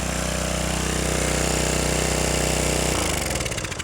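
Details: Craftsman 550E power washer with new carburetor, after a no-start, with loose carburetor bolts tightened: steady, even putter of about three beats a second with no misses or stumbles, running healthy.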